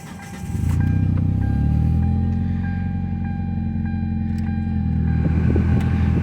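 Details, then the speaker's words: 2004 Hyundai Tiburon, 55,000 miles, previously idling badly and stalling, after idle air control valve replacement, engine bay cover off; starts quickly into steady smooth idle, no sagging; no longer stalling, fix appears successful. "be able to run the ac full blast without the car stalling now seems like that's pretty cool seems like that that fixed it"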